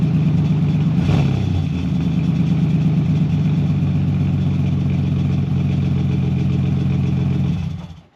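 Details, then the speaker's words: BMW E46 330ci drift build with Condor Speed Shop solid engine/gearbox mounts, headers and custom valved exhaust, first start: deep, steady exhaust drone held evenly about seven seconds before shutoff; smooth, healthy, no knocks. "So, the exhaust, it sounds all right. The valve control doesn't really dim down the noise volume. It kind of changes the tone a bit."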